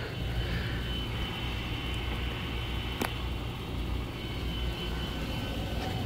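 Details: Furnace in a room next to a bedroom starting up in the middle of the night, heating only the upstairs: a steady, heavy roar with a faint high whistle on top, much louder than it should be; the cause is unknown.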